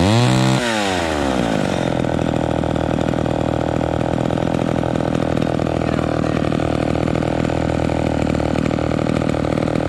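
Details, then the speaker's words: Homelite XL12 vintage chainsaw after setting low-speed idle mixture screw: quick rev then steady, even buzzing idle that holds without stumbling or loading up, good throttle response; low end running right. "um so see that sounds pretty good we got we got good throttle response and it's idling without loading up"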